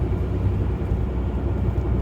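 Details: Nissan Maxima with over 200,000 miles, driving: steady low droning rumble, even and continuous without knock; worn front hub bearing, reported by the driver as a knocking sound.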